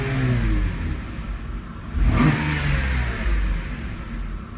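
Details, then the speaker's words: 1997 Mercedes SL600 V12 after spark plug replacement: smooth, even rev rising and falling cleanly with no stumble or misfire; earlier judder gone, normal revving. "Oh, it feels so much happier now. Wow. It had a little jutdder before, which is not normal for a [Music]"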